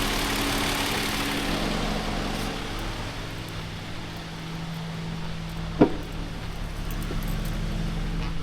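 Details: Toyota Avalon after clearing water from injectors and spark plugs: even, steady low idle with one faint click; runs smoothly now, though a code P1603 and some residual misfire remain while injectors dry.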